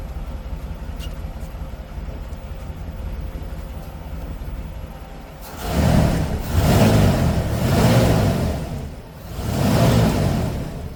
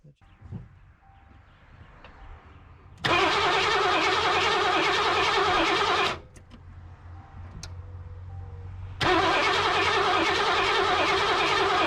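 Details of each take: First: 1988 Mercury Cougar Foxbody V8 after fuel tank cleaning and fuel system work, first start on its own fuel system: quiet, then fires and takes several smooth throttle blips without stumbling; normal start and running. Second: 1988 Mercury Cougar (Foxbody) cranks steadily in two ~3 s bursts but never fires on its own fuel system after tank cleaning; 40 psi fuel pressure, spark present, no EEC-IV codes, starts on starting fluid, so injectors suspected.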